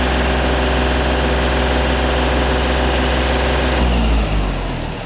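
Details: 2021 John Deere 3025E diesel tractor running normally after its shutting-off/stalling problem was fixed by cleaning and refilling the fuel sediment bowl: steady, even idle clatter that settles slightly near the end, with no stalling.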